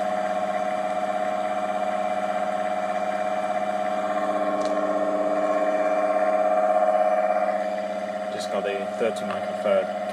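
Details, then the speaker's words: Three-phase ATB induction motor run on single phase with a capacitor, after rebuild with new bearings; steady even hum, no grinding or knocking, quieter than with the old bearings. "the old bearings weren't too bad but uh the motor was a little bit noisier with the old bearings than with the new ones I'll turn it on"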